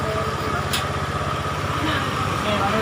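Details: Honda Beat carburettor scooter after the starter-click fix with an external relay rewired: a steady idle with an even low putter of about four pulses a second, no clicking or ticking; it runs properly.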